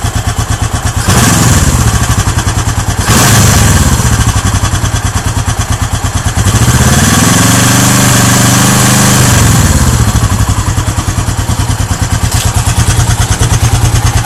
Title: Gs400 clunking sound